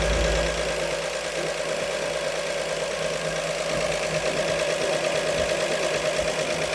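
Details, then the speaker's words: 1948 Chevy Fleetmaster inline-six warming up after valve adjustment, even settled idle with a smooth steady beat and no stumbles or misses; fuel line leaking, oil pressure held, temperature just above 180; normal idle. "And uh man, I don't know if I even need to throw a timing light on this thing. It sounds great."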